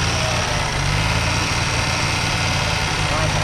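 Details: Front-crashed car, radiator pushed inward, engine miraculously started but risks overheating: steady low drone with uneven, labouring note; rough idle, cause not confirmed.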